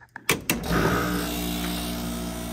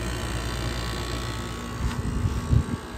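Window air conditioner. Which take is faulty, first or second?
first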